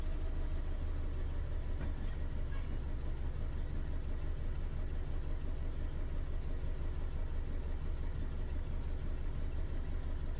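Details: 2011 Ford Ka 1.2, P0203 cleared, injector measurements showed a fault: low, lumpy idle stumbling about three times a second. Still misfiring; a plug lead pushed down beside the spark plug instead of onto it was found afterward.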